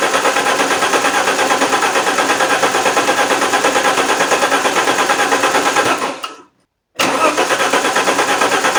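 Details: Alfa Romeo 164 2.0 V6 turbo, crank-no-start, retried after fitting new relays: steady rhythmic cranking about three beats a second without catching; cause not confirmed, fuel pressure and a slightly crusty distributor cap checked next.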